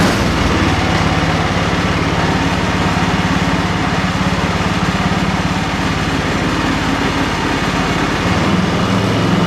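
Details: Ariens 30 EFI snow blower with onboard lithium battery, after sitting five months: starts on the first pull and settles into a smooth, even putter, pitch shifting briefly as the dial throttle is set; runs healthy.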